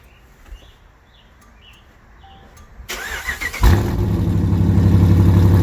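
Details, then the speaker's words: Dodge Challenger R/T 5.7 V8 on first start after fitting BBK long-tube headers. It cranks and catches into a lumpy idle with a sharp, even puffing tick about four per second: an exhaust leak at the clamps, which need fixing. "oh yeah exhaust leak alright gotta fix those clamps I can hear it till tomorrow clamps got to be fixed first just straight exhaust leak but sounds like a beast coming out of that uh those headers though"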